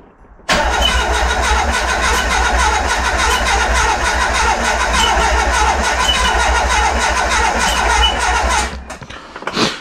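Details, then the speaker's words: Renault Express van with swapped Trafic engine (48 hp, non-original distributor and carburettor): starter churns steadily about four times a second for eight seconds with faint firing that never catches; cranks but won't start, owner feels some combustion but suspects it is flooded. "En tout cas, je le sens. Je sens qu'il y a un peu de combustion, mais pas assez parce qu'il s'est noyé."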